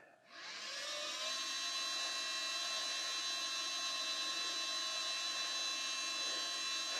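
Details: 1987 Mercedes 560SL (R107) rebuilt fuel pump, hotwired to a power supply: high steady electric whine rising within half a second and holding even; fuel delivered, pump running healthy.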